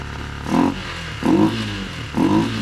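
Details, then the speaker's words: Neglected old Polaris Ranger 500 farm UTV being revived: steady low idle with a smooth swell, no ticking or knocking, despite a stored crank position sensor code. Normal idle. "I don't understand how we're running that good and we have a crank position sensor code. Okay, I'm not complaining. The idling good sounds good."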